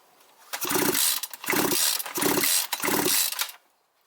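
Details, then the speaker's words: Strimmer or chainsaw engine that cuts out after about 15 minutes when hot, reassembled after a crankcase gasket replacement with old rings: four pull-over bursts with crisp compression pops and an airy rush, the sound of sound seals and gasket. "Хлопки відчуваються вже зовсім по-іншому. Такі хлопки мають бути при правильній роботі сальників та прокладки."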